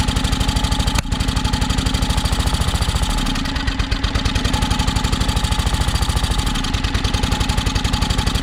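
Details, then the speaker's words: John Deere X485 riding mower, project machine not yet running right, battery nearly dead: rapid firing pulses that sag and falter as if about to die; engine struggling and stalling, owner suspects fuel starvation, possibly air-pressure related. "so i guess my battery's about dead but that's a good sign so sounds like it's definitely um sounds like it's starving for fuel"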